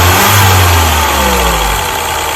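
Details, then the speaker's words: Mini after replacing the number one ignition coil with a new one: revs drop back smoothly toward idle with an even, steady note, turbo audible, no stumble or skipped beats; no longer misfiring. "so now we're going to start the car to see if this brand new coil works perfectly and now as you see this coil works perfectly and now this car is not misfiring"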